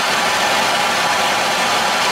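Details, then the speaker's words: Plumbing torch turned up too far while re-soldering a leaking elbow joint: loud, steady, harsh roar with no pulsing, meaning the flame is too fierce. "Hear the torch, so obviously that's too fierce, and that's not enough."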